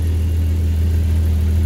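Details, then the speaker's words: Jeep ZJ Grand Cherokee after its exhaust pipes, cat and muffler were welded back in: a steady, deep, even idle rumble with no puffing, ticking or hissing from the exhaust. Normal idle, no exhaust leaks. "Hey, purrs like a kitten. Let's go this way. Sound like this any leaks."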